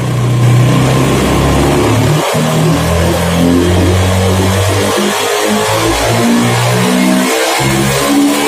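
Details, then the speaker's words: Honda Beat FI scooter lacking power, free revving while checking throttle position sensor: revs climb, briefly drop near 4000 rpm then rise, dropping again above 9000 rpm; TPS suspected faulty, likely needs replacing. "perhatikan di angka 4000 RPM turun sebentar baru naik lagi sebelum 4000 sudah turun sebentar di TPS bermasalah Saya kira ini kayaknya sepertinya ganti"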